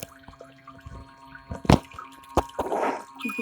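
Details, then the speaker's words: MIC portable mini folding hand-wash machine with 3D-printed dual-action agitator: soft irregular sloshing and splashes over a faint motor hum, no grinding or knocking; delicate agitation working well, normal. "You can see it's like a dual action agitator. And it does a good job agitating."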